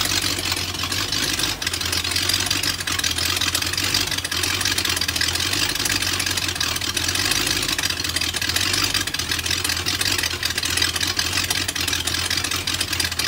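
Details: BMW M62TU V8 (E39 540i/E38 740i) right after chain guide replacement: started in time, then the timing chain jumped while running; loud hissy, rough, uneven idle with low drone and exhaust chuff from missing SAI pipes.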